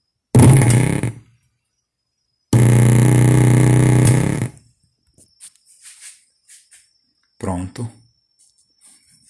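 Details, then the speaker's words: Oneal powered speaker with a polyester capacitor beside the output stage removed: loud, low droning buzz when switched on; fixed by soldering a ceramic capacitor in its place. "depois vou dar uma pausa aqui e mostra para vocês como ficou o barulho da caixa sem o capacitor Zinho é esse"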